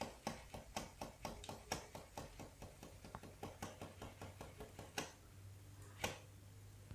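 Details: FOX Boostvalve rear shock worked by hand: sharp hollow clunks about three a second, knocking at the end of rebound and on bottoming out.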